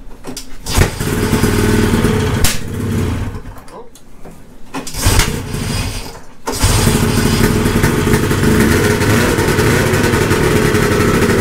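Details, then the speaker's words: 1972 Ski-Doo Nordic snowmobile two-stroke, old Bosch plugs: rough popping start, uneven firing with gaps, ragged run; owner suspects bad plugs dropping it to one cylinder; misfire, unconfirmed. "the way it's popping back sounds like plugging them right down to one cylinder now"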